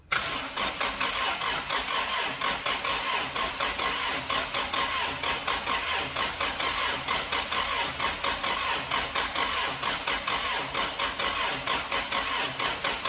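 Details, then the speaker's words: 1999 Toyota Celica 1.8 SR started after 7.5 years stored in a garage, engine turned by hand first, fresh petrol: cranks, catches at once, then settles into a steady even idle with no misses; throttle cable seized. "it's running trust the toyota to kind of work now i just need to take apart the throttle and see that we can get back to work again"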